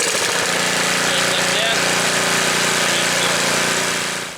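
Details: Snapper snowblower, first start before winter, pull-cord start while warm: small single-cylinder engine runs a quick, steady, even chatter with no misses or knocks; normal running.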